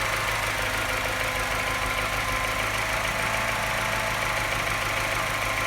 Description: What’s it doing at this point, and why does it only start tapping louder and missing at this point?